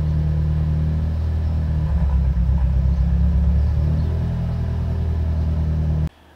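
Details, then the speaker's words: FA20 engine, about 20,000 miles after walnut blasting, sluggish: low, lumpy idle surging and sagging unevenly, first suspected as vacuum leak but gauges showed none; rough idle from oil control valve (not the VVT solenoid). "my car is having a very rough idle as far as we all can think it's probably a vacuum leak"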